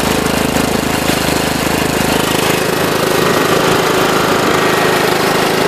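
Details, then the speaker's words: John Deere LT133 lawn tractor after restoration, engine at 3/4 throttle then wide open throttle, which is really quiet: dense, even roar with no misses, knocks or surging; normal full-throttle run. "that's about 3/4 throttle there and then there's wide open throttle which is really quiet"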